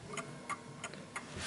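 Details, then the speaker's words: 1950s Smiths Enfield striking mechanical mantel clock, set level and balanced: crisp, evenly spaced ticks about three per second with no limping beat; the clock is in beat and running properly. "So you can hear that it's ticking away quite nicely."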